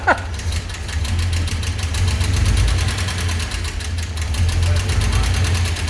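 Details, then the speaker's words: Old pickup with a 304/305 V6 that had never had an exhaust, now fitted with a new hot-rod exhaust. After install it gives a deep, even, smooth rumble with no rasp or popping, much quieter than before. "that's a lot quieter it does sound like a boat i told you"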